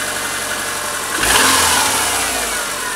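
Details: 2001 Subaru Forester L flat-four: light clicking riding on the engine note at idle and revving, with no loss of power; cause undetermined.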